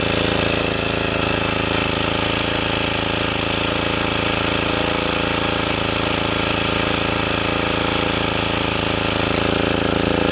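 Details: Sportsman 2000 W generator after governor tuning with an added damping spring, under 750–1500 W space-heater load: engine holds a constant, even beat with no hunting, surging or cycling; governor now keeps speed steady.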